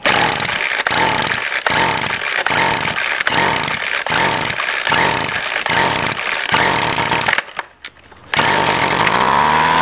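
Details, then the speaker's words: Two-stroke weedeater string trimmer started with prime and no choke, carb untouched: high-pitched revs with sharp dips about every second, nearly dies then picks back up; sounds like a plugged carb, fuel starvation suspected. "well this one's sounding like a plug carb kind of so i'll see if it's got mixture adjustment screws first"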